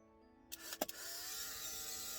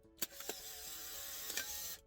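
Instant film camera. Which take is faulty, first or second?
first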